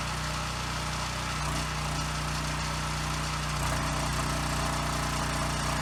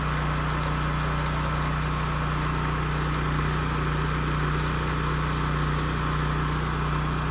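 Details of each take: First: Husky generator that sat 5 years with bad fuel, first run after carburetor cleaning with carb and airbox refitted, still awaiting air filter, spring and tank grommet: runs well, but the pitch drifts up and down every few seconds at no load, mild governor hunting typical of these. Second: Husky portable generator that sat 5 years with bad fuel and a leaking gas tank, after carburetor cleaning, fuel-flow fix and a new governor spring, run outside: steady drone at constant pitch with no surging, output close to 61 Hz, governor holding speed normally.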